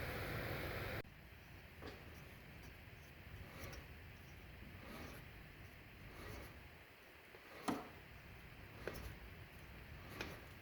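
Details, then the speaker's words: 2013 Honda Civic, under 90k miles, with a hum rising with speed: passenger-side front rotor hand-spun with wheel and caliper removed turns almost silently with faint soft ticks, so that bearing is healthy and the other side is suspected. "passenger side is quiet, so I think I've found the culprit."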